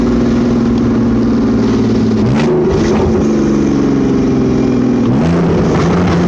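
Engine revs rise and fall twice with a rough, raspy drone over the pitch, hinting at a possible exhaust leak, though unconfirmed.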